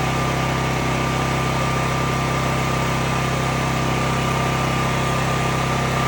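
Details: Cat RP8000E generator, about 5 years old, running with the faulty CO sensor bypassed by a switch set off; constant-speed drone with a steady pulse of nearly four beats a second that never stumbles, holding speed normally.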